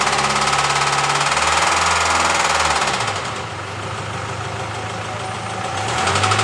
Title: Developed knocking noise while accelerating